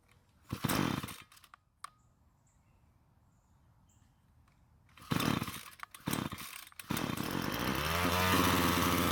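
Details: Ryobi two-stroke string trimmer that wouldn't start, first run before richening the H screw: sputtering, uneven buzz that surges and fades before catching a steady high note; lean mixture.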